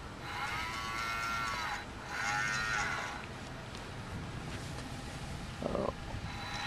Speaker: if i shade the motor you'll hear it growling also if i move across the solar tracker you can hear the motor running because one side of the solar panel will be